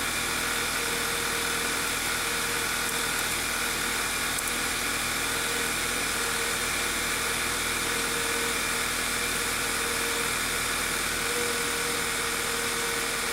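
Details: 2007/2009 VW Eos 2.0L TSI (engine code CCT), after replacing a detached rear main seal that caused a large vacuum leak and lean misfires: petrol engine idles steadily with a faint even hum and light ticking hiss; normal idle.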